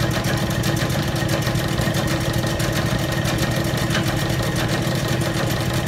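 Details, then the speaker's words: Old Bennett 541 gas pump, run after many years of barn storage: steady loud low hum with an even churning rhythm, no knocks or squeals; motor runs smoothly. "but just to fire one of these off and hear it run after all those years of sitting is a thrill for me."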